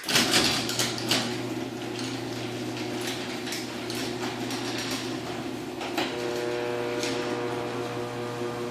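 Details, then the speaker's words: Small garage door running on its opener: a steady motor drone with door rattle turns harsher partway through travel. The cause of the loud spot is unknown. "I have no idea what that loud spot on the small door what's causing that I'll run it one more time so you can hear it"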